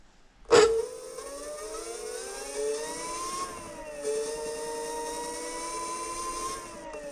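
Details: Front hub motor of a DIY dual 350 W hub-motor electric scooter (dual displays, dual batteries) spinning freely: clean whine climbs then holds steady pitch, no grinding or clicking; healthy hub motor.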